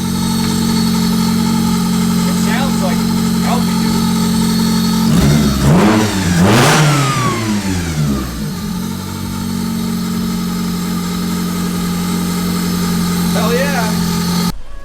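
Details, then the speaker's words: Honda Del Sol running again after work, air bled from coolant: loud engine with quick blips climbing and falling cleanly, settling to an even idle; very responsive, healthy, idles fine at operating temperature. "So guys, it started up and it ran and is good. We got all the air out of the coolant and seems to be running good. Oh, dude, it's super responsive."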